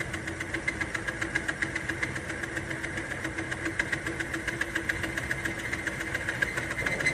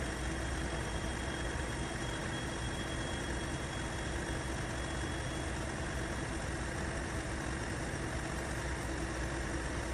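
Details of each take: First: Timken test bearing under added weight: the motor strains with a ragged scrape and rapid uneven ticking until excessive friction stops the wheel. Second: Timken test rig, bearing under load with lubricant applied: steady even low drone, smoother, less straining and no squealing, parts moving with less friction; smooth running under load.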